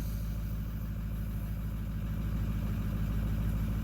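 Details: 2009 Ford F250 6.4 Powerstroke diesel, deleted, just after #7 injector replacement with adaptive table cleared: steady even idle rumble with no misses, idle speed in spec though still vibrating somewhat.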